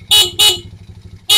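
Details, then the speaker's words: Euro Racing 110 motorcycle running on a smaller capacitor only, lights on: four short, strong, high-pitched horn toots, clean and full-strength with no sputter or fading; horn works normally. "Malakas pa yung busina, capacitor lang siya ha."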